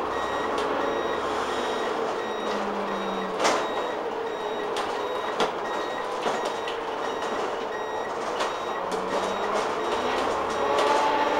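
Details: London bus TPL268 on route 4: a crisp high turn-indicator beeper repeats steadily about four times a second over the bus's low drone. The indicator warning is working normally.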